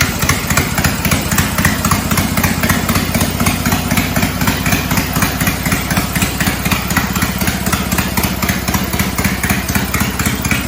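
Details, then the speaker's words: Cub Cadet 482 tractor, swapped 12.5 hp Briggs opposed twin with rebuilt carb, no muffler: loud, crisp, very even exhaust pops at about four per second, sounding like an old 4-cylinder Farmall; running strong and healthy. "This tractor almost sounds like one of the old Farmalls. The 4-cylinder Farmall tractors. It almost sounds like one of those, which is kind of neat."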